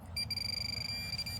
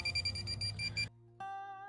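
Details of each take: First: Minelab Pro-Find 40 pinpointer after tapping power to reset ground balance in highly mineralized dirt: clean steady high beep about a second over a nickel target, no ground chatter; working properly. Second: Minelab Pro-Find 40 pinpointer at maximum sensitivity in a dig hole: rapid chirping then continuous tone with no target, falsing everywhere; reduce sensitivity with the minus button to detune.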